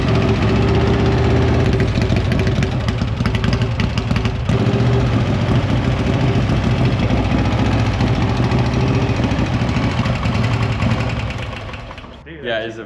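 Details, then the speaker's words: 1956 Harley FLH Panhead after a top-end rebuild, which earlier made a ding-ding noise: an even, loping V-twin idle with a light, steady valve tick, valve adjustment still to be double-checked; normal idle. "Now we could hear the valves. Before we could just hear the ding ding ding ding."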